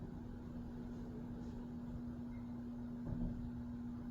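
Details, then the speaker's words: Hunter Arts & Crafts ceiling fan on high speed: a steady low electrical hum at one pitch under soft air noise, not silent, between living-room and loud. A capacitor was mentioned as a possible cause of odd behaviour, unconfirmed. "Not silent. Sounds like an orchestra warming up. That's probably the worst of it right there."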